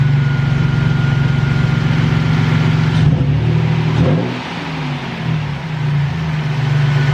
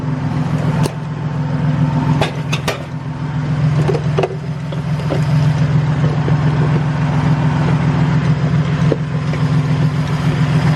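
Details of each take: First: Toyota Tacoma after idler pulley replacement and belt retensioning: the engine idles evenly, takes a throttle blip and settles smoothly with no ticking or knocking left; normal idle. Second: Toyota Tacoma at idle, noise found with a water-bottle listening trick: a steady drone with a faint, uneven ticking rumble from the front belt area, with the belt visibly shaking; idler pulley bearing noise.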